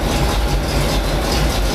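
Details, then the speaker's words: 1987 GMC 7000 with a 366 V8 running after a new belt was fitted. A steady, even low rumble, the exhaust rumbling slightly, with no squeal or knock; the engine and belt drive sound healthy: normal running. "Smooth and quiet. Engine actually runs pretty quiet. Exhaust has a little bit of a rumble to it."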